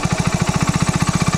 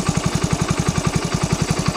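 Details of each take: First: Hero Splendor single-cylinder after throttle body cleaning, idle screw turned in: even, quick thumping around thirteen beats a second; idle speed raised too high, to be lowered until the bike just stays running. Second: Splendor single-cylinder motorcycle after throttle body cleaning and idle screw adjustment: quick, even putt-putt at steady idle with no hunting or dying off; idles cleanly and stays running.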